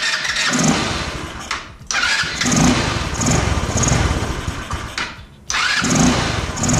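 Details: 150cc GY6 scooter after fitting a new ignition coil: sputters unevenly, revs sagging and nearly dying twice before picking up; won't hold idle; owner then suspects valve adjustment, cause not confirmed.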